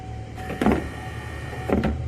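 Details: Windshield wiper motor, removed and run alone on the switch in first/low mode with the linkage disconnected (the linkage locks up when connected): steady low electric hum with an even whir, no clicks or grinding.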